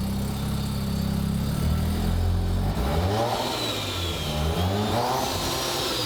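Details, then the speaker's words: Rotary-engine Corvette turbo setup: revs, then on lift-off a fluttering, chattering whoosh falls in pitch. The blow-off valve's spring is too stiff without load, so it stays shut and the compressor surges, air coming back out through the turbo. "so now you're hearing compressor surge as that turbo lets off if the air is coming back out through the turbo"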